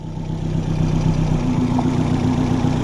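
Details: Nissan GTIR turbo engine idling on its first startup after a clutch and lightened-flywheel replacement, with a 3-puck clutch. No leaks were found, only leftover spilled coolant; the AFR gauge read rich then lean. A steady, even idle with a smooth low drone and no knocks or ticks.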